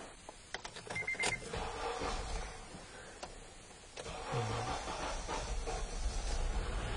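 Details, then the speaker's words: Petrol engine idling with an uneven stumbling rumble and shaking badly from a misfire; a cylinder drop test follows, with dropping cylinder one nearly killing the engine and dropping cylinder two changing nothing. "all right now you can hear the misfire uh you can see it's shaking really bad"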